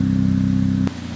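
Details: Ford Fiesta Mk7 with Borla exhaust after an exhaust leak was fixed with a silicone gasket; engine held at a steady raised rev then snaps back down, clean exhaust note with no puffing or ticking: normal exhaust note.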